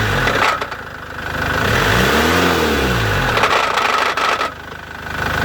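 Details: Chevrolet Captiva 2.2 diesel: throttle blip lifts engine and drops back, faint rough tapping through idle; engine noise, cause not identifiable from sound.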